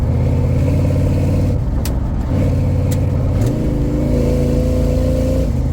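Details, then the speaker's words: LT1 V8-swapped Jeep YJ automatic, possibly 4L60 or 4L80, about 2,000 rpm at 40 mph; engine pulls through second to third, then holds a steady drone with no shift to fourth. Owner suspects low fluid or misadjusted shifter, unconfirmed. "There we go, that's second to third, but nothing to fourth. I don't know what's going on with that."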